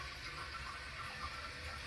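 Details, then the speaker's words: Toilet tank refilling after a flush while the owner suspects a leak at the old Fluidmaster flapper (to be replaced with a Korky Universal Ultra 2"). Steady, gentle hiss and trickle with even flow and no gurgle or squeal; a normal refill. "And this should stop when it finishes filling. I think I'm not sure how that mechanism works, but that seems to be the case right now."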